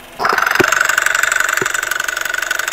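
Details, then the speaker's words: 12-year-old Toyota Camry engine at idle, recorded at the timing chain after overheating and running out of coolant; temperature gauge mid, 27 °C outside. Sharp even ticking about three a second, loud and abnormal: timing chain ticking. "Yung lagitik na naririnig ko ay nandito po sa mismong engine, dito sa timing chain. So ipaparinig ko po sa inyo itong ingay na to na nanggagaling dito sa may timing chain."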